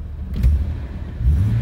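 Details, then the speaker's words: Police-model Jeep Cherokee XJ runs with a deep, uneven, surging rumble after crankshaft position sensor replacement and retrieval of a screw dropped into the bell housing; owner attributes the roughness to its first run in a long time; rough running. "sorry running a little rough but it's the first time it's ran in a long time"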